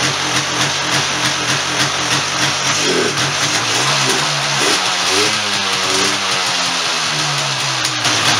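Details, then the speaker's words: 1996 Polaris Sportsman 400 two-stroke ATV after top-end rebuild (head gasket had been blowing), carb and recoil cover refitted: idles crisp and even, revs freely with clean throttle pickup; all back together and running good. "whoa there we have it it's all back together all running good"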